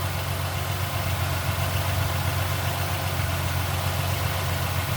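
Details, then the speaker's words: 2007 Mustang idling down after an oil change: steady low idle with a faint, quick lifter rattle of about four per second riding on top, still settling as oil circulates. "hear how the car is idled down you can still hear a little bit of the lips rattling"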